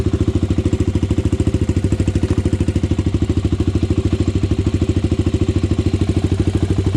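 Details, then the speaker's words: Honda 400EX ATV single-cylinder four-stroke, after fixing idle air screw, pilot jet and main jet: even single-cylinder idle thump about 200 beats a minute, steady without stumbling; idling cleanly. "all right guys so i figured it out it was the idle screw idle air screw and the pilot jet and the main jet"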